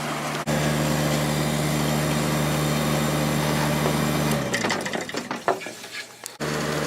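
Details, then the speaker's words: Late-90s 40-pint Whirlpool Accudry dehumidifier, reciprocating compressor, Emerson fan motor, opened up: steady low hum and even fan whoosh, then switched off; normal running, return line getting cold. "Even the return line is getting a little cold. So it definitely works."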